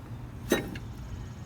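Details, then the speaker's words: Porsche 911 996, accessory belt removed: the lower idler pulley, flicked by hand, gives one brief, smooth whir and stops almost at once, unlike the grinding upper pulley. Finding: healthy idler pulley, smooth quick stop. "notice how it pretty much stops immediately completely different noise this one's more like a rattling whereas this one is kind of a smooth it just kind of stops that is what you want"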